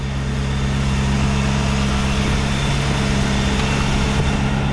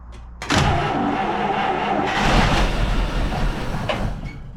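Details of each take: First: 1949 Buick Roadmaster hearse straight eight, revived after sitting over 6 years, points filed, automatic choke hooked up, still cold, oil pressure between N and H: steady, even low idle with smooth unbroken beat, no knocks or misses; normal idle. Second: 1949 Buick Roadmaster hearse that sat over six years, fresh fuel primed down the intake with no gas yet reaching the carburetor from the new tank: engine cranks, catches in a short ragged burst, then dies; fuel starvation, running only on prime.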